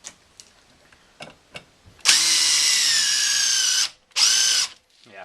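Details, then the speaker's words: DeWalt 20V DCF885 impact driver, battery on one bar, drilling with a countersink bit: smooth high motor whine for about two seconds, then a shorter burst, no hammering or skipping; drilling normally without impacting. "It had no trouble with drilling holes. It doesn't take as much force, and there's not as much resistance within the wood because this is designed to bo"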